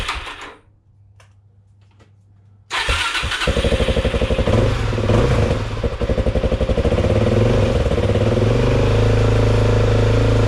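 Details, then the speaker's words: Suzuki DRZ 400 SM single-cylinder, cold start after crankshaft replacement and full engine rebuild: fires and settles into an even thumping idle, no rattle. It sounds much better than before. Normal idle. "je trouve que le le son en tout cas de la moto elle sonne beaucoup mieux"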